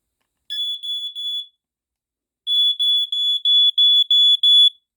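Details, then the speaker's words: Mid-late 1990s American Sensors (Dicon) SA388 photoelectric smoke detector, piezo horn, test button pressed: very high-pitched beeps near 3 kHz in slow 5/6 pulse pattern with clean gaps, LED flashing with pulses; alarm working normally. "okay so it sounds in a very slow five six pulse um i think it almost sounds like the exact same pulse pattern as like the black and decker actually it's like almost the same but it's very high pitched"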